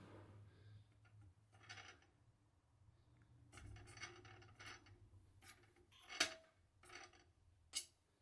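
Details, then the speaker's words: DJI Inspire 2 replacement drone after only two flights: faint, irregular dry scraping rasps as each of all four props is turned by hand; something rubbing in the motors, cause not yet found. "now I've been on two flights so far just two since I got this and it didn't make any prop nose initially but after the second flight here's what I'm getting from the props all four of them you can hear that noise"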